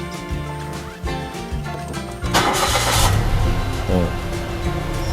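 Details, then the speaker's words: Mitsubishi Mirage/Attrage gasoline engine, about 200,000+ km, restarted after a throttle body and sensor cleaning without removal; cranks, catches at once and settles into a smooth, even idle; healthy start. "นี้คือทำงานแบบสมบูรณ์แล้วนะครับ"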